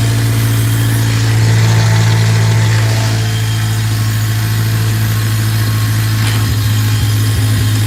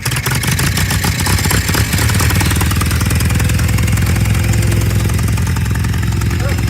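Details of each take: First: Newly bought leaking tractor in neutral idles low and unevenly, wavering and wanting to die. Water in the fuel is suspected despite fresh gas; rough running. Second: Tractor with brush hog, in neutral with choke out, after revving it while blocking the intake air to clear a carburetor jet clog: steady low chugging idle, even and without stumbles; now running cleanly.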